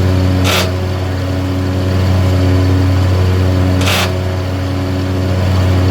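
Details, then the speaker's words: John Deere zero-turn mower used commercially: steady engine hum with short harsh bursts about three seconds apart and vibration only once blades engage; one blade had been fitted upside down, mechanic suspects a bad spindle. "now as you can see it's an intermittent situation and you could almost see by my fingers that I knew when it was about to happen"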